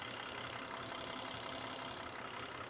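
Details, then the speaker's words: 2004 Volvo S80 running with milk in the engine and corn oil in the transmission, 3.5 minutes in: quiet, even idle with only a faint light tick, maybe lifter, nothing knocking; normal idle. "Now it's running perfectly on a milk and it's been 3.5 minutes, still not making any kind of noise."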